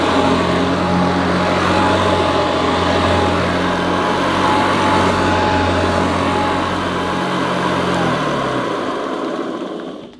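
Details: Hoover Senior U4003 upright vacuum, American model imported for UK on 240 V, 400/600 W: steady hum and whine, no rattles, winding down smoothly at switch-off, slightly different from Ranger Senior but sounds as it should; normal running.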